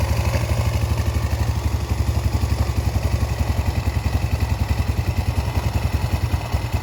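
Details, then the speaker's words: Yamaha Vega R four-stroke single, repaired after failing to start from lost compression (valves lapped, ring area cleaned), exhaust refitted: steady, regular putt-putt idle with only light background clatter; running cleanly again. "Oke Kang Bro, ini untuk Vega sudah selesai Kang Bro ya, dan sudah mau hidup."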